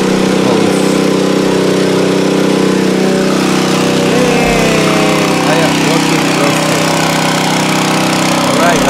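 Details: Nearly new Honda WB20XT water pump with GX120 engine that would not start, after carburetor cleaning: steady buzzing run with constant pitch and no surging or dying. Normal running after repair.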